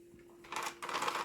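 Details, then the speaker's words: Steady motor hum with harsh rasping bursts, like gear teeth slipping, from the brush drive gears as it runs; grinding like two gears have gone, cause not confirmed. "hey what do we have here so this thing was grinding like two gears had gone in it"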